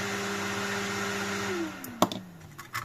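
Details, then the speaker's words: AMD Phenom motherboard powered on with the CPU cooler not yet fitted: loud, steady high-pitched fan whine, then spool-down; fan running at full speed, possibly because of the CPU. "the fan is going crazy could it be that because of the CPU"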